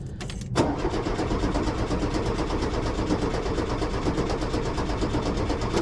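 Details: 1973 VW Super Beetle that died while driving: strong even cranking for several seconds with no firing, battery good; no fuel reaching carb, aftermarket fuel pump not pumping.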